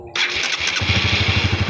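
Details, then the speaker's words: Honda CB150R after repairing a jammed starter motor (clicking, stuck), started on a weak battery: brief starter whirr, single fires right away and settles into an even putter; normal electric start. "Mantap kan, Bosku? Jos. Alhamdulillah. Huh, tidak ngengkol lagi, Bosku."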